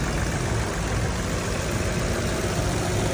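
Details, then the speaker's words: 2012 Chevrolet Cruze LTZ after repair: low, even idle with no knocking or ticking; engine had been jumping until a shorted knock sensor pulling down the 5V sensor supply was found; now running smoothly. "Tức là không còn cơ khí rồi êm ái rồi thì chuyển sang một điện xem nào hết tất cả những chỗ nào nó hỏng hóc kiểm tra hết"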